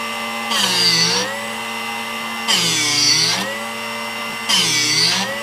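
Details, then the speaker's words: Drill Doctor sharpening a 1/2 inch (13 mm) cobalt drill bit after jaw depth adjusted: motor whine dips into short gritty grind about every two seconds then recovers; normal sharpening, grinding only up to the peak. "So that's the noise that we want to hear."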